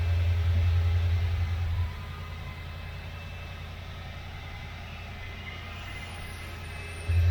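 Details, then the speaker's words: 77 Corvette V8, not started in a while, primed with gas down the carburetor, fires first crank with a deep rumble, settles to a steady lower idle and picks up cleanly on throttle; healthy cold start and revving. "okay let me pour a little gas down the car with a vet here and we'll start it up fired right up first crank or a little gas down it"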